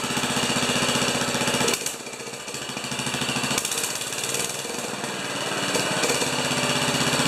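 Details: 10 HP Kohler K241 single-cylinder engine after installing a modern plastic fuel pump: steady thumping with crisp exhaust crackle, a brief sag near two seconds then recovering; running fine.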